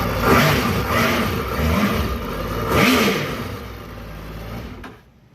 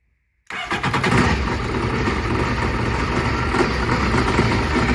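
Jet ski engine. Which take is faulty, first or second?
second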